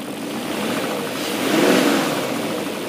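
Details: BMW M62B44TU V8, stock exhaust, right after replacing the rattling timing chain tensioner with an aftermarket INA part; even idle swelling smoothly through a light blip and settling back, no chain rattle; normal idle.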